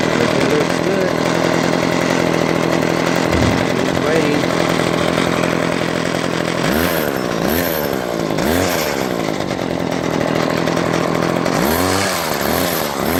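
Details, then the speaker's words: String trimmer two-stroke running after replacing damaged fuel lines with universal lines; loud, steady buzz at even pitch with brief speed swells, choke off, no fuel leaks; normal running. "One, chalk, take off the chalk. It's working. Not leaking."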